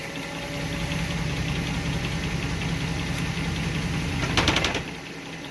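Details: 2006 Ram 1500 4x4: uneven rumble under the idle, then a short rough grinding burst pointing to the four-wheel-drive system. With 4x4 engaged manually everything works, so a faulty part in the 4x4 engagement is suspected. Cause suspected, not confirmed.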